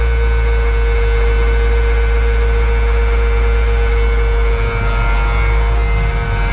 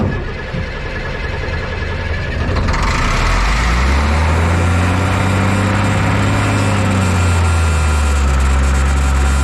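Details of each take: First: M35A2 military diesel truck after sitting long with old fuel, started on fifth try with ether: low steady drone, constant tone, no misses or knocks; seems to run pretty good, drives itself; normal running. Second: M35A2 military truck 148 after sitting long, cranked without ether, clean fuel and tank: even starter churn about four beats a second, never fires; no fuel reaching injection pump, owner suspects air in system; cranking no-start.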